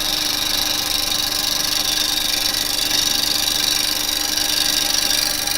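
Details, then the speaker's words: Woodturning lathe with a carbide tool riding its bevel across the face. A steady, even hiss of wood shearing with no chatter signals a smooth, level cut without bounce. "So look, I can come along here and all we want it to do is come along without any bounce and then I know it's"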